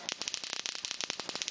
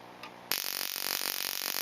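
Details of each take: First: Solex moped ignition coil (weak spark, bike crawling at 25 km/h) on a Solénotest coil tester spark gap: spark snaps crackle unevenly with gaps where sparks drop out, worse at lower rate—faulty coil missing sparks. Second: Ignition coil on a Solénotest bench tester, set to 4: ten seconds of even, unbroken crackling spark train with no gaps or dropouts, meaning the coil fires consistently and appears good.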